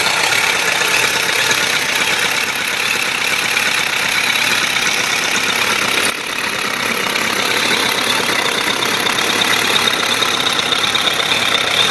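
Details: 1997 Suzuki GSF1200S: steady idle with a dense light tapping through the engine note; knock from inside the motor, cause not pinned down.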